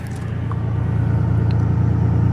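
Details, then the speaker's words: 2001 Toyota Tundra, 3.4 V6, two-wheel drive, at idle after repairing a misfire. Smooth, steady low rumble with no stumble; misfire gone. "So far, it sounds smooth. I don't think I got a check engine light automatically. Does it sound like we got a misfire?"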